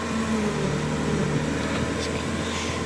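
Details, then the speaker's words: Evo 7 with Evo 2 engine swap, at idle after a new hydraulic hose was made and the power steering system bled; wheel turned lock to lock with no whine or groan from the pump; power steering normal. "there's no noises comeing from the power steering units that's fine that should be fine"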